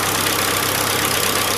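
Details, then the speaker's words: 1947 Willys Jeep idling after a minute or two of warm-up, with the air cleaner top removed: a harsh, hissy, chuffing idle with a raspy edge; owner suspects a small exhaust leak, not yet checked. Oil pressure is about 20-some psi. "so there it is that sound like I got a little bit of an exhaust leak possibly somewhere there I'm going to have to go ahead and check that out"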